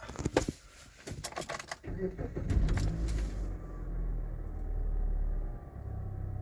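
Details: 2008 Jeep Patriot 2.4 L inline-4 FWD, previously P0300 with a flashing check engine light at idle after a crankshaft sensor replacement. After a PCM adaptive memory reset, keys rattle and it starts into a soft, smooth, even idle with no stumble or miss.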